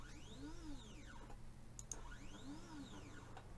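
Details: 3018 mini CNC, small jog moves sent from the control software: two clean jogs, each tone sweeping up then down as the stepper ramps speed. The axis moves as it should.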